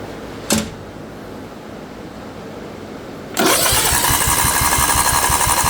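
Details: Craftsman II lawn tractor with swapped newer engine, solenoid jumped due to bad key switch: starter spins engine about four beats a second in a steady chug that never catches; cranks but won't fire, owner suspects a wire stopping the motor.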